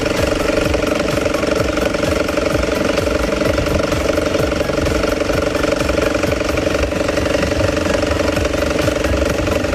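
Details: BMW 320i B48 petrol engine running with a quick, steady da-da-da knock from a failing crankshaft main pulley damper, cured by replacing the pulley.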